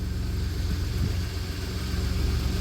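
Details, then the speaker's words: 1993 Dodge Caravan after blown head gasket repair, warmed up at idle with hood open: steady even low rumble with no knocks, ticks or misses; running smoothly and healthy. "There she is purring like a kitten."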